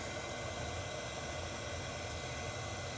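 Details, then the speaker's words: Hot air gun blower, a stand-in for a 3D printer fan, measured with a Uni-T UT353 sound meter; a loud, steady airy rush over a constant fan hum with no rattle or wobble; running normally, just loud. "so this hot air gun it represents a blower that you might have in a 3D printer or something like that and as you can see they are quite loud"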